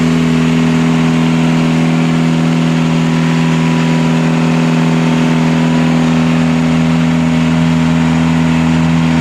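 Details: Catamaran genset on the bench after correcting two swapped controller wires that had opened the throttle fully and shut it down; steady constant-speed drone, firm low hum, no hunting, knocks or surges: normal running.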